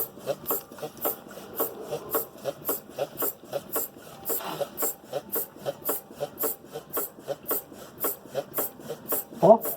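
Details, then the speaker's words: 2011 Hyundai i30 2.0 with customer-reported suspension noise, car on the ground being rocked by hand: sharp dry creak-knock about twice a second, in time with each push; worn stabilizer (sway bar) link. "Olha o barulho que a bieleta tá fazendo aí, ó. Balança, Everton. Tá ouvindo, pessoal? Esse barulho tá dando ressonância aqui, ó, aqui na bieleta."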